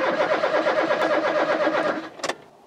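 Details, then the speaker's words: Rover 216 Cabriolet petrol, weak spark found, fuel pump heard priming: steady starter cranking with even chug but no firing; crank no start, owner suspects too little fuel after draining the tank to two gallons. "i'm wondering if i've not put enough petrol back in this car i drained it to the very last drake"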